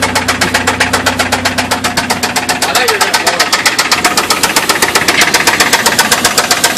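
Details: Chevrolet S10 2.2 four-cylinder doing a hard-revving burnout after developing rod knock: loud, sharp knock about four times a second; engine intentionally being run to failure before a 350 swap.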